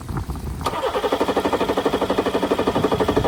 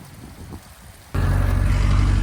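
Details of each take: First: Johnson 60 hp outboard on a Carolina Skiff, start test after relocating and replacing the marine battery and rewiring. Two long bursts of steady cranking at about four turns a second, never catching: cranks but won't start. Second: Johnson 60 hp outboard on a Carolina Skiff after a new, relocated marine battery: a quiet stretch, then it catches and settles into a steady, even low throb with regular firing pulses. It is running cleanly.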